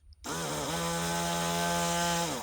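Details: Cordless rotary tool that had randomly stopped working: motor spins up in about half a second to a clean, steady high hum, holds even speed, then winds down smoothly; runs healthy.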